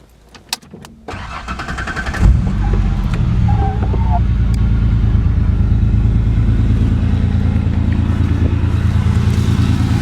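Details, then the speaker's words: 1991 Ford Explorer, 4.0L V6, odometer 69,548 miles but reportedly over 400,000, starts, catches and settles into a loud rough idle bouncing about three times a second; owner suspects a rear cylinder misfiring; muffler has a hole. "Here we go, 4-liter V6, bounces a little. I hope the engine mounts are intact. I think it's the cylinder, apparently it's the cylinder back there that's missing."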